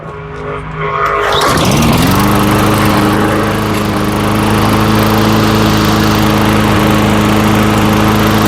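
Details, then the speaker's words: Old Tecumseh-powered Lawn Boy mower after carburetor replacement: pull-start catches within a second and settles into a steady, even single-cylinder run with no misses or hunting; sounds healthy. "Yep. For an old Tumpsa, that sounds pretty good."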